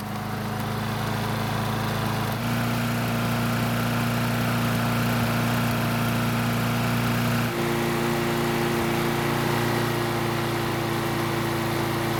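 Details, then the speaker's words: Snapper mower, unserviced for four years, started on old gasoline left in the fuel system, dirty never-changed air filter: small engine holds a steady drone with slight wandering pitch, a bit unsettled; rough running on stale fuel. "Now before I go on, I'm going to start the engine and see how it runs on the gasoline that's still left in the fuel system."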